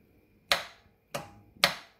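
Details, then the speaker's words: Husqvarna MZ6128 mower with an intermittent no-start: the replacement starter solenoid gives three crisp clicks about half a second apart, pulling in cleanly with the starter lead disconnected, so 12 volts is there each time the key is turned. "If it works, you'll hear it click. There it is."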